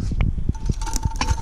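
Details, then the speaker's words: Alternator, part 7911-4A, spun by hand: gritty, uneven crunching with irregular clicks each turn from brushes that broke apart, with plastic chunks inside and burnt internal connections. "you can actually hear whatever failed in there now yeah one of those brushes oh"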